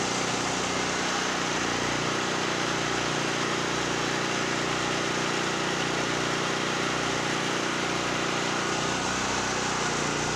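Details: Generac GP5500 generator, formerly a no-start (brake-clean straw lodged in the carburetor; on-off switch suspected), now running warm under about 1,500 W heater plus 1,270 W heat gun load, checked on a kilowatt meter: even, constant drone, no surging or hunting, powering through. Normal running.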